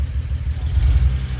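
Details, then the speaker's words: BMW N54 335 wagon (E91) at idle, coil swapped to cylinder 2 to see if the misfire follows: uneven idle, beat stumbling and dropping out; misfire. "we just want to see if a misfire code will fall to cylinder - so as you can hear as you can hear the cries - misfiring"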